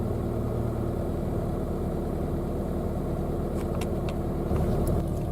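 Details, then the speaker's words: Citroen Saxo, 17 years old, 140,000 km, automatic gearbox, cold start after sitting a couple of weeks: low, even rumble at constant speed with no misses or stumbles; normal smooth cold idle while warming up. "it a fire up now that's pretty astonishing because that's the first time I've fired up in the last couple of weeks and it hasn't gone rough"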